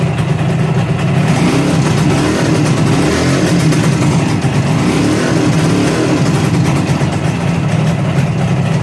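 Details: 1963 Ariel Arrow Super Sports 250cc two-stroke twin, bought as non-runner, after refitting barrels and head: busy buzz held steady with light blips, no misses or knocks; runs freely, healthy.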